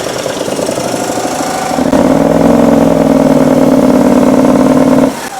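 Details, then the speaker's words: Kohler engine on a Simplicity Stallion zero-turn, after head gaskets and carb work, refitted with its muffler: drones at flat pitch, then lugs and drops off, zero power, unlike its test run without muffler; low power traced to faulty muffler. "barely is how it runs. Sounds like there's zero power to any of it. And it's very different from the way that it ran when it was in here."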